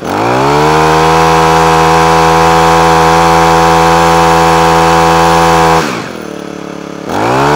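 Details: Honda HHH25 four-stroke single-blade hedge trimmer after carburetor clean and new diaphragm (previously cut out at full revs): holds steady high revs cleanly, drops briefly to idle, picks straight back up without stumbling. Normal revving.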